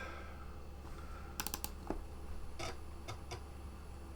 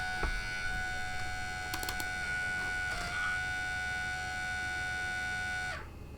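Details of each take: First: Compaq Armada 4120T laptop floppy drive after a drive belt replacement: steady motor hum with crisp head-stepping clicks, no scraping or the earlier wearing noise; it reads discs straight away, normal floppy drive operation. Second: Compaq Armada 4120T laptop floppy disk drive: steady thin motor whine with scattered light ticks and a brief dropout as the motor spins but the perished drive belt slips; belt change needed.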